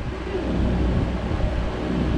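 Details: Mastercool MCP44 evaporative cooler after swapping digital switch for a two-speed manual switch, blower on high with pump running: steady low rumble, no squeal or knock; runs normally.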